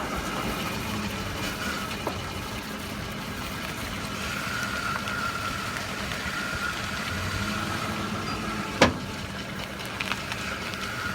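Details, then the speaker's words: 2005 Ford F-150 FX4 idling gives a sharp front-end pop, then a brief clunk, mostly when the wheel returns to center after a full turn; upper and lower ball joints and upper control arms already replaced. "like I said it's only when it's coming back to Center for the full term more so when the wheel is being driving full word rule of being turned all the way right back"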